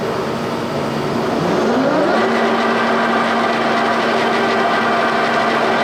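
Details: G&L facing head on a 340T boring mill after fixing runout (spindle bearings fine): spindle spins up with a tone rising over two seconds, then holds a steady even hum with no knocks or rubbing; runs true.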